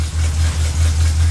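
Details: Chevy truck with 305 V8 just after transmission installed and fluid added: steady low idle with brief dips as reverse, neutral and drive are selected; engages smoothly; header leak noted.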